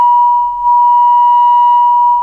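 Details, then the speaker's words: Vacuum tube microphone amplifier after repair with replaced parts, 1 kHz low-amplitude function generator signal into the line input: clean steady high tone, no hum, crackle or dropouts; amplifier passing signal normally. "so as you can see the function generator is connected to the line input and i will switch the line input on right now and as you can hear it's working the line input is working this is great"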